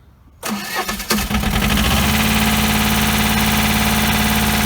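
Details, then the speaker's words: 1988 JLG 30HB manlift, started from the ground controls: brief crank, then it fires right away and settles into a steady, even idle; starts and runs healthy. "starts right up."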